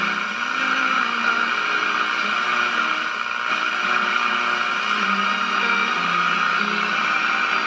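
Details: GE tube radio at about 97.6 V B+ with a transmitter antenna wire loosely tied on: a station barely comes through a steady wash of hiss and static. Weak reception traced to the RF front end before the 12BE6 first stage, acting almost like a lack of antenna.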